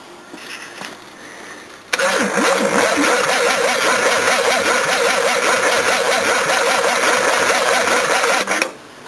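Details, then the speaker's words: Battery test on an engine with fresh oil and filter: loud, even cranking with a wavering whine, held over six seconds before cutting off; strong cranking, battery passes. "Hey, that sounds pretty damn good. Yep, pass."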